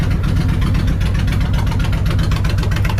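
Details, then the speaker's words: Suzuki Intruder 1500 VL V-twin that sat for years, after carb and throttle position sensor cleaning: even, loping low thump at idle, both cylinders firing steadily with no misses or knocks; healthy idle. "that's definitely running both cylinders yeah she's a happy bike [Music] sounds pretty normal"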